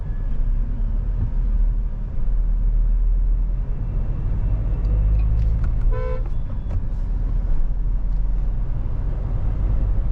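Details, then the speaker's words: Mahindra Thar Roxx AX7L manual diesel 4WD driving in 4H after stopping, going to neutral and re-engaging 4H: steady low drive rumble and road noise, one horn toot, no gear whine or grinding; the gearbox noise from shifting into 4H while moving is gone. "पहले रुको अगर speed वाला scene है तो भाई फिर आप मत ही करो चलती गाड़ी में। अब कोई साउंड नहीं है।"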